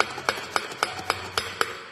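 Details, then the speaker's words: Fiat Palio front suspension: sharp metal-on-metal clacks, three or four a second, from the loose upper spring plate; the mount/bump stop is missing. Holding the plate firm stopped the noise. "só bate como se fosse realmente ferro com ferro como se tivesse alguma coisa sol suspensão aqui"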